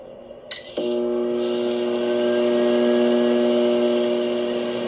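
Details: Whirlpool over-the-range microwave AMV2307PFS-0, door switch previously replaced: door clunks, then a loud steady buzz and hum seeming to come from behind the button, recently developed; fault suspected in the high-voltage section (magnetron, transformer, diode or capacitor).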